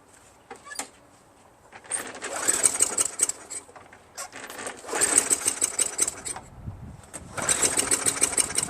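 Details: Craftsman Eager 1 22-inch self-propelled mower, 5.5 HP Tecumseh, rebuilt carburetor; three pull-start bursts, each sputtering a few weak firings before dying. Sticking governor, engine won't run; started once governor was pulled back with wire and then adjusted.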